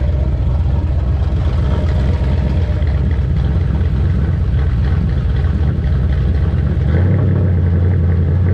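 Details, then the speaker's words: New 410 ci Ford Windsor stroker small-block for a Mach 1 Mustang, idling on a run stand with a 650 double-pumper carburetor: deep, steady rumble with an even beat and no knocks or misses. A healthy normal idle that runs better than ever. "that sounds good that runs way better than it's ever run"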